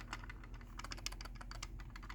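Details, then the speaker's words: LiftMaster garage door remote from September 2023 being shaken: quick light plastic clicks and rattles in irregular bursts; case clips don't fit together tightly, unlike a solid 2016 remote of the same kind. "You can hear that one doesn't feel loose, but these ones, it's just loose."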